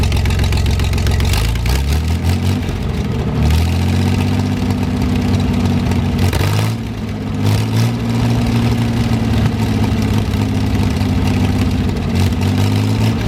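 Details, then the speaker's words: 1973 GMC 432 cu in V6 with five-speed Spicer, first run after about 5 years sitting, warmed up: deep even idle with smooth throttle blips and no miss or knock; slight smoke only at startup, cleared when warm; normal idle. "so either way it looks like we got a good engine it'll be a good spare doesn't smoke or anything like that a little bit on Startup but cleared off once everything warmed up"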